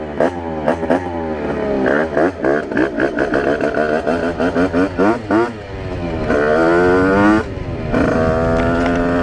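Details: Test ride of a Rieju RR moped with tuned 80/85cc brand-new cylinder on 4% oil mix, carburetor still being set up (needle changed, 148 main jet): high-pitched two-stroke revs climbing and dropping cleanly through the gears without bogging or misfiring; running well.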